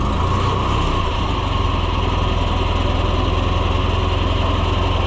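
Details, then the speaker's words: Tractor started after sitting a few days, fires right up; deep, steady, even chugging idle around three and a half beats a second; sounds healthy. "All right, friend. You haven't run in a few days. Fires right up."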